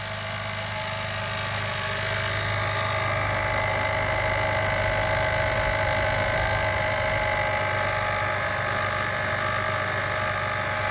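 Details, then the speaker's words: 2006 Jeep Liberty engine idling with a constant gravelly growling grind and faint whir; alternator bearings beginning to fail though it still charges, before alternator replacement. "You hear that? That is the bearings in the alternator beginning to fail. The alternator is still charging, but the bearings in it are beginning to fail."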